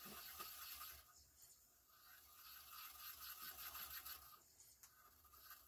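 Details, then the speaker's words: Yamaha CDC-625 5-disc CD changer after servicing: quiet, uneven scraping and rasping about four strokes a second, the disc clamp rubbing because a plate was reassembled in the wrong place. "Maybe it doesn't. That doesn't sound good at all. What is going on with that? That disc clamp sounds like total crap."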